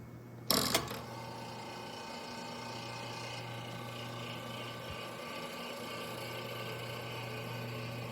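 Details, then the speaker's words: 1927 GE DR-2 monitor-top refrigerator, first plug-in after unknown standing time; sump heater/oil conditioner on. Clunk at switch-on, then steady low hum with rough rattly hash; cools but not very cold; noisy compressor, not normal, non-condensables present; cause unconfirmed. "So, we got uh kind of a noisy unit here and it it it's it's cooling, but that's about as cold as it's going to get. Um, and that that noise there, that's that's not normal."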